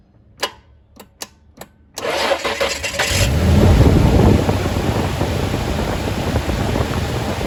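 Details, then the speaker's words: Isuzu (1998+ Trooper/Rodeo family) first start after fuel pressure regulator replacement, rail primed by cycling the key: several cranking clicks, then it catches, flares and settles into a smooth, steady run. Normal running. "here's my turn right off that sounds really nice"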